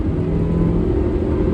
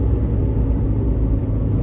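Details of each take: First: 2012 Suzuki SX4 AWD CVT road test after repair: smooth, even drive hum with steady low rumble, no clunks, knocks or vibration beat; slight clicking from camera mount; normal driveline operation. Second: 2012 Suzuki SX4 AWD CVT on road at about 70: steady low droning rumble tracking road speed, not engine, unchanged in neutral, seemingly from the rear; seized propeller shaft U-joint.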